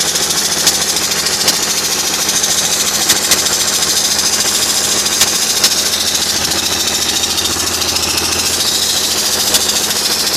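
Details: BMW 330Cd diesel idling with a busy, hissy clatter and a light, uneven ticking on top; engine ticking at idle.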